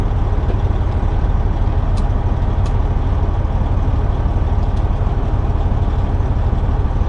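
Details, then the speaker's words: Truck with an Eaton Fuller 10-speed AutoShift after a high/low shifter piston repair, air pressure up, trailer hooked: clutch down, low 1 selected; steady diesel idle with a couple of light clicks and no grind or clunk. Clean, normal engagement. "So I'm pushing the clutch down now. We got second gear, first gear, which that's normal. I just put in low 1."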